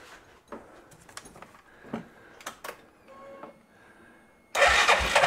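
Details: 2005 Massimo MSU-500 UTV that would not crank, after replacing failed starter solenoid: a few clicks and handling noises, then a short strong whirring crank; starter turns engine over properly.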